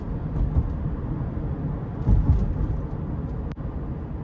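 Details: 2018 Subaru Forester Limited, 170-hp 2.5L 4-cylinder, in-cabin while driving: soft low road rumble, no squeaks, buzzes or trim rattles; tight, quiet interior.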